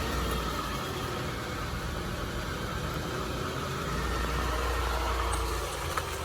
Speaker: i hear item kind of crazy yeah it's like idling in and out